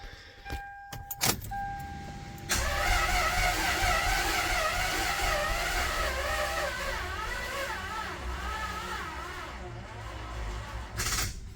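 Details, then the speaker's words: Toyota 2JZ (spare engine from a GS300) after a first home rebuild with ARP head studs, Supra head gasket, new bearings, rings and seals, on a recharged battery: long uneven crank with a wavering "rare rare" whirr, no firing; timing suspected off. "sound a bit odd not sure what that whole like rare rare is about because everything should be timed well"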